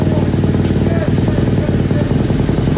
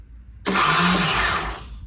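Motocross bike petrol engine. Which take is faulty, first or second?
second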